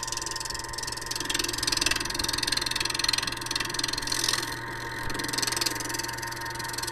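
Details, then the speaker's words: Lathe turning a horn cup body on a mandrel with a large thumbnail gouge: rapid uneven tool chatter over steady hum because the workpiece is not yet round; chatter disappears toward the end. "you can hear the chattering as I move the tool I mean it's not round if I go down here toward the end we won't hear that patter anymore"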